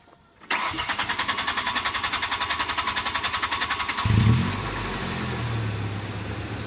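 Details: 2005 Ford Ranger 2.3 engine, suspected lifter tick and black exhaust smoke: starter cranks in steady pulses about three and a half seconds before catching and idling; slow start, cause unconfirmed.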